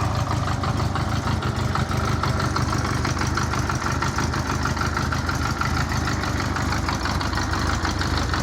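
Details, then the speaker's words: 1984 Honda Goldwing Aspencade, completed restoration, started cold without warm-up: steady, even low drone at idle, no misses, knocks or ticks; runs smoothly. "so here's there's the bike running it's cold i haven't warmed it up at all"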